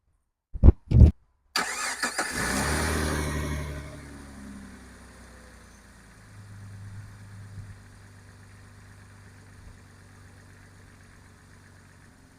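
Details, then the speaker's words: 2002 Jeep Grand Cherokee Laredo after cleaning corroded battery terminals and securing the ground: two sharp taps, then a strong quick crank that catches at once and settles into a steady low idle with no stumbling; normal start. "so guys it start right right up and it feels a lot stronger than what it was so we have a fully grounded now and we don't have a problem right now"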